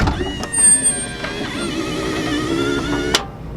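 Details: Kwikee electric step on a 2019 Tiffin Open Road 34PA RV, tested after replacing the motor gear assembly with its stripped gear. A steady motor whine for about three seconds ends in a clunk as the step stops. Normal operation after the repair.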